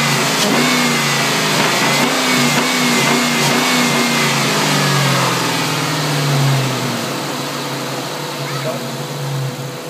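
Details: 1999 Ford Mustang GT V8 revving up and settling: a steady knock about three per second riding over the exhaust throughout; engine knock, cause unidentified.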